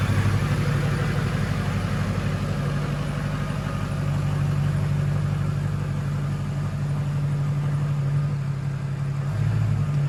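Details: Ford King Ranch truck, 6.0 Powerstroke diesel with stage 2 cam, billet LPOP, high-rev valve springs, O-ringed heads, KC stage 2 turbo, after cold start: deep, even idle with steady low rumble, no misses, knocks or ticks; healthy.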